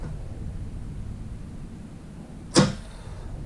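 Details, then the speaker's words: 2005 Arctic Cat 400 4x4 FIS ATV, new replacement starter relay/solenoid bench-tested with polarity reversed, old rusted one didn't click: one crisp click over quiet hum as relay energises; relay good. "And again, you can hear it click. So, we got us a good relay."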